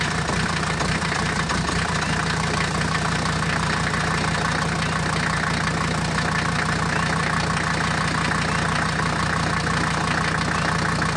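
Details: Mercedes W123, 400,000 miles, after replacing cracked leaking radiator and faulty thermostat that caused overheating: steady, even idle with constant low rumble, no misses, knocks or surging; overheating fixed; normal idle.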